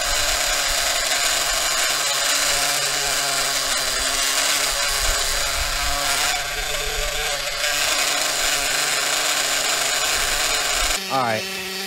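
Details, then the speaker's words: Maxy's Cinco 2.0 nitro RC engine on break-in stand with Bones break-in fuel, around 280 degrees; idle set slightly high, steady buzzing idle holds even without stumbling, normal. "all right i like to bump up the idle a little bit to help it let me do it from this side the way my arm ain't in the way so bump the idle up a little bit good to go"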